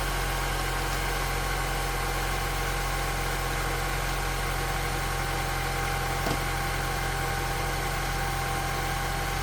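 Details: 1998–2002 Honda Accord started after head gasket replacement: steady, even idle hum with a low constant drone and no knocks, misses or hiss; normal idle.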